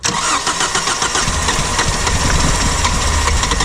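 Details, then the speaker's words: 2002 Kia Sportage that had sat a long time with the top off, cranked with a new battery and brake cleaner: loud, steady cranking with a few weak catches that never pick up. It has spark but the fuel pump won't kick on. Crank, no start. "Well, she's trying to fire, so that means she has spark. Uh, we can't get the fuel pump to kick on."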